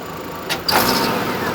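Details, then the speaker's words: 2008 Hummer H3 with misfire complaint, quick throttle snaps: engine note jumps with a sharp pop or two; popping first thought to come through the intake, confirmed as an exhaust manifold leak. "Yeah, there's an exhaust leak. That popping is not from the intake. Uh that popping is from an exhaust leak that we have on this vehicle."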